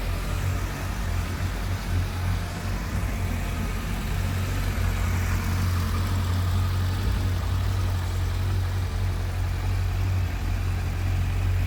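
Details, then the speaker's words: Suzuki Bandit 1250 S motorcycle with 7,686 miles: even steady idle after start with smooth beat, no knocks or rattles; healthy. "Fire it up nice and smooth."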